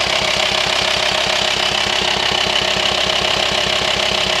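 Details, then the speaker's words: VW T5 Transporter 2.5 TDI diesel idling with steady pulsing knock about three times a second, vibration felt at hose to air box, which sucks when disconnected; worn camshaft and lifters, needing new camshafts and lifters. "and when you disconnect the hose it's obvious it sucks in there so unfortunately we have just diagnosed A Worn chem shift and tap it so it's kind of a big job"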